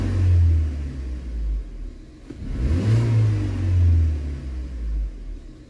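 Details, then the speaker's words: BMW 116i test drive; deep note swells cleanly through rev rises and falls, no stumbles, much fewer idle dips than before, responds faster; smooth acceleration. "sehr flüssig und nicht mehr so viele Einbrüche vorher hatten wir wesentlich mehr Einbrüche im Leerlauf"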